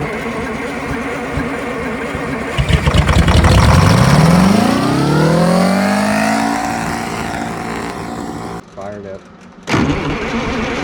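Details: Two-stroke 8V71 Detroit Diesel V8 from an old tour bus, fuel racks tied at full fuel, climbs uncontrolled from a rumble to a screaming howl within seconds and stays pinned in deliberate runaway; the plan is to spray a water hose into the blower.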